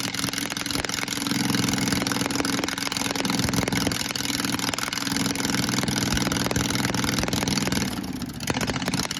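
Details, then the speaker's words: Honda engine repowering a Case 1816 skid loader runs hard and loud with a rough, uneven pulse about 200 beats a minute; very noisy, cause unknown. "I can start it up for you. It's pretty freaking loud."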